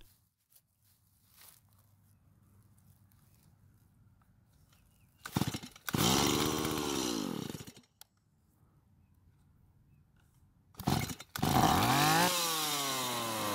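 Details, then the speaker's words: Stihl MS170 chainsaw as received, with a previous owner's new aftermarket carb, fuel line, air filter and fuel filter: it fires, revs hard for seconds, then dies, twice; a faulty or lean carb was first suspected. "so that's what it was doing when we first got it what I thought was happening was that the aftermarket car but might have been faulty or that it needed to be adjusted to give more fuel to the engine"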